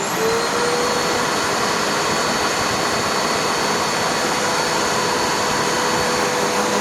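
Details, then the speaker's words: Curb-found Eureka The Boss vacuum after full refurb, first run on a used but tighter belt; smooth, steady high motor whine with no rattle, slap or grinding from the belt; normal running despite prior abuse and age. "yep that sounds wonderful considering it's prior abuse and age"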